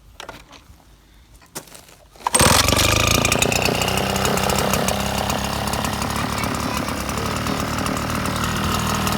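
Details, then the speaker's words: 2014 Red Max 76 cc backpack blower (8500), pulled on a squeaky starter needing lubrication, catches and settles into a strong, steady two-stroke roar; runs right. "I'll fire it up right now. You'll hear it's pretty squeaky, but it runs good."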